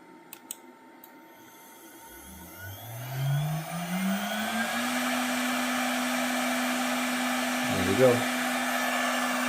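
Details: Redline 1.5 kW air-cooled CNC spindle on Onefinity Journeyman, commanded M3 S15000 after install: clean whine climbs smoothly for a couple of seconds then holds steady pitch, no rattle; spinning up normally.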